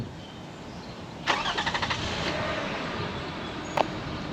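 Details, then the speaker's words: 2005 Toyota Highlander, 152,000 miles, 16 years old: short crank, catches within half a second and settles into an even, quiet idle with no misses or knocks; healthy start. "so i don't know what do you guys think i think that sounds great for a car like this it starts up it's so buttery smooth"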